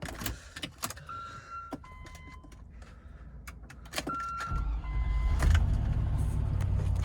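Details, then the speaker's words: Land Rover Discovery V8 being checked as a used purchase: keys and door clicks, then the engine catches quickly and settles into an even, steady idle with no odd noises; normal start. "one starts up fine, no crazy noises or anything."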